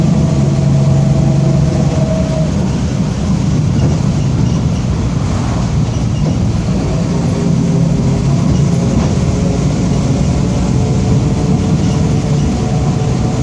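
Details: 2007 Torino MBB OF-1722M diesel city bus, Grande Londrina 3311, line 314, while driving: steady moaning tone above the diesel drone throughout the run; worn, whining rear differential.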